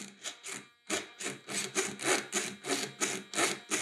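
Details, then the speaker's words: Losi 5IVE-T 2.0 gas RC truck throttle servo, throttle held: crunchy rasping buzz pulsing back and forth about three times a second; will be replaced. "That sounds pretty bad though, and that jittering servo on a model this big and heavy and fast, that's definitely gonna get replaced."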